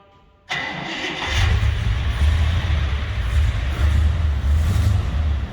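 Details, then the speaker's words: 1958 Plymouth Belvedere, 392 Hemi with dual quads, not run since Saturday, starter catches at once, deep steady lumpy idle without knocks or misses; sounds so good, normal start and idle. "That sounds so good."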